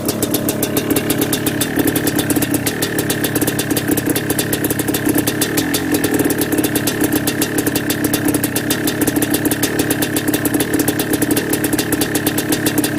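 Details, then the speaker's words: Yamaha Blaster 200cc two-stroke ATV with FMF pipe, cold start around 15–20° on choke after about two kicks: fast, even idle with a sharp ticking puff on every beat. Small exhaust header leak, usually improves when warm. "I got a little bit of an exhaust header leak, but that usually helps when it warms up."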